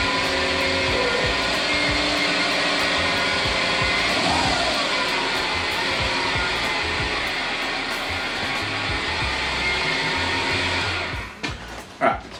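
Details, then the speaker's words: Subaru with manual clutch, cold start: high steady accessory-belt squeal over the engine that climbs with revs, unchanged by steering lock-to-lock (not power steering) or clutch in/out, quieter once warm; worn AC idler pulley bearing. "when I came in, I rotated left to right with the steering to show that it wasn't power steering. Goes up with the revs. I also pushed in the clutch and released at the end there. No different. Once the car warms up, it gets quieter."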